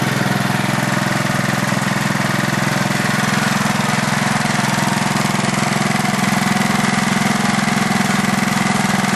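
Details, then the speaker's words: Craftsman LT4000 lawn tractor single-cylinder engine on two-year-old gas, carb not yet cleaned, jumper-wired start: steady running with an even light tick over the exhaust beat; engine ticking that the owner thinks may be the valves, unconfirmed. "i think that noise is the uh valves i'm not 100 sure uh most likely this engine doesn't need the valves adjusted"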